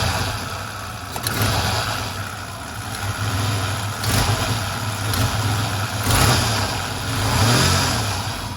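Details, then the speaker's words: 1994 Ford Ranger with a failed idle air control valve taped off as a temporary fix: an uneven low rumble that surges and sags with throttle blips and never settles. It idles low and dies at stop signs, but is drivable home. "So it doesn't run good like this. It dies when you come up to stop signs. It dies all the time."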